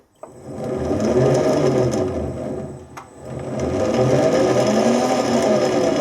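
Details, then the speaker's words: Lathe change-wheel setup with straight-cut gears deliberately meshed too tight with no backlash: steady whirring drone with harsh tight gear whine as the gears bind; change gears meshed too tight, binding. "That's too tight. You can hear it trying to bind."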